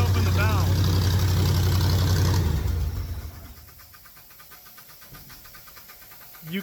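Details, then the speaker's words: V8 air compressor, choked, accelerator pump gone: loud running then shutdown, followed by quiet fast bubbling about four per second, air purging back through the engine; gurgling after shutdown, owner suspects a problem, cause unconfirmed. "can hear it purging through the engine itself. So, that that can't be a good thing."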